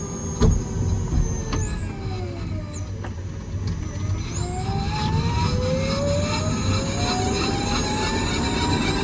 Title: Sound Kia Niro EV grinding Noise - what defect?